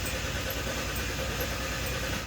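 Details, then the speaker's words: Hyundai Santa Fe after fuel pump replacement and leaking-tank repair, with an empty tank: starter spins the engine steadily for about two seconds but it never fires, then cranking stops; no fuel. "Okay, so it already doesn't start, so that's a good sign. It means we don't have to run it with that pump running."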